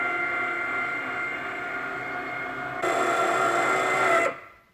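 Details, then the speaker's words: Porsche 997.2 Turbo S fitted with an aftermarket electric wing actuator kit replacing the factory hydraulics. The spoiler button is held while the wing lowers, with a smooth, steady motor whine that cuts off cleanly until the LED goes out. No dash warnings, normal operation. "Back over here, I'm going to push and hold the spoiler button until the wing is down and this orange LED goes out. So here we go. I can hear the spoiler going down."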